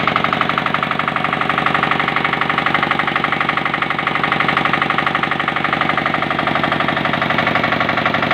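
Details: Engine run after overhaul: even, steady beat around four firings a second with no knocks or misses; runs smooth and healthy, normal running.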